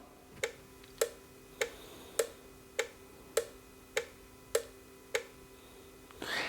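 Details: Relay from a 2019 Mercedes-Benz A-Class crank-no-start, cycled 10 times on a relay tester. Crisp, evenly spaced clicks about every 0.6 seconds, each switching cleanly, and the green LED lights; the relay is healthy.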